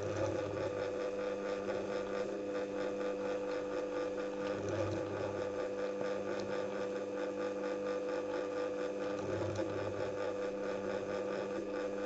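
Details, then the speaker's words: Singer 201k sewing machine with a DIY servo motor, speed reducer and force-control pedal, sewing 600 g/m2 vinyl folded 8 times. An even needle rhythm and steady motor tone hold speed under the thick load. Normal running. "Now you can see how the machine reacts to the load changes this way."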